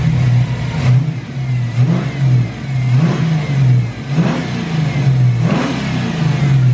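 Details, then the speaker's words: SN95 Mustang with a Ford 302 V8, warmed up after an intake vacuum leak was fixed: a smooth idle with quick throttle blips that rise cleanly and settle back evenly. Healthy running. "can't beat that Ford 302 sound man"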